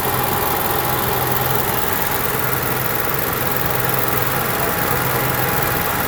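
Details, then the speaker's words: Onan Marquis Gold 5500 generator after carburetor cleaning and high/low mixture adjustment, no parts replaced: a steady, even engine drone with no surging or hunting; running normally. "so now you can see we got a perfectly running good onan and with zero cost no parts at all just take it apart clean things adjust things make things and we're back on the road now you can too"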